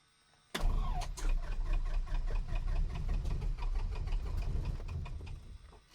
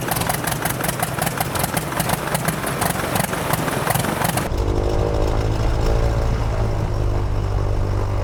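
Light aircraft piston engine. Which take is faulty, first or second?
first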